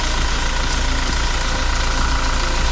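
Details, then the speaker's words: Toyota Fortuner 2400 cc diesel (same engine as the Kijang Innova): low, even diesel idle with soft clatter and no knocks, very quiet with minimal vibration for a diesel; normal diesel idle. "Nah, ini mesinnya, mesin diesel 2400 cc. Untuk ukuran diesel ini masih sangat senyap dan minim getaran ya."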